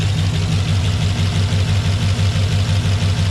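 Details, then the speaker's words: LQ4 6.0 V8 in GMC, first start after Texas Speed ported 317 heads and 224/228 .600 lift 112 LSA cam install, untuned, stock intake, 40 psi oil pressure, check engine light: deep even idle, steady lope, no ticking or knock; surprisingly smooth normal idle. "actually pretty smooth. Kind of surprised it's idling that smooth."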